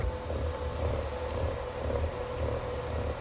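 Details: 2020 Ford Edge: steady motor hum with a low rhythmic rattle about twice a second as the sunroof shade retracts; diagnosed as a faulty sunroof shade motor, not the shade itself, which had already been replaced.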